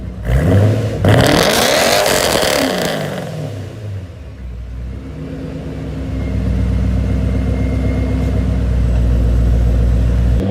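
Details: Warm engine, not a cold start, with a new Pypes muffler delete replacing cheap homemade piping: loud rasp as the engine revs and falls back, then a deep steady drone settling to idle; normal straight-through exhaust.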